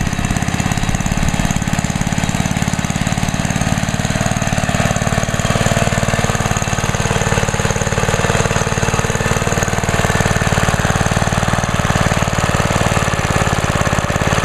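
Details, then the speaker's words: 43-year-old 1971 Trim-All lawn edger single-cylinder engine, just started on choke at part throttle: fast even putter holding a steady beat with no misses or stumbles; running healthy. "Cool. That thing just runs excellent. Being that it's 43 years old, that thing just runs excellent."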